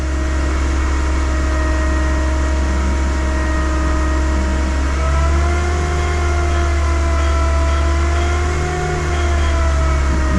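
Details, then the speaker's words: 2011 Kia Cerato with engine whine persisting after water pump replacement; stethoscope/pulse sensor checks idler and alternator, then A/C compressor reads off the scale as revs rise: steady high whine from a failing A/C compressor front pulley bearing. "you go as you can see the aircon compressor's completely off the scales that is the issue with this car it's got a bearing issue with the front pulley on the aircon compressor"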